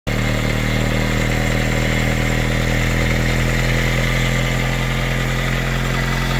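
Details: 1999 Honda Civic EX, D16Y7 engine with D16Y8 VTEC head, loud steady idle with faint irregular knock underneath; engine failure, suspected number one cylinder wrist pin, not confirmed.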